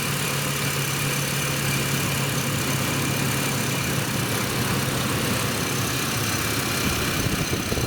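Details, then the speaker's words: 2007 Chevy Colorado 3.7 L five-cylinder at idle: thin, constant metallic ringing over the engine note, traced to a failing belt tensioner, replaced with Gates 38178; belt tensioner ringing noise. "there's a tinging ringing sound coming from the engine I'm going to start it up let you hear it then I'll show you what the problem is so just listen carefully and you're going to hear that ringing metal sound coming from the engine"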